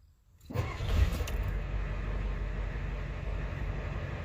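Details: Ford 7.3L IDI diesel truck after valve cover gasket and return line repair and bleeding air from the fuel lines: catches within a second of cranking, settles into a steady, even low idle with no misses; sounds healthy.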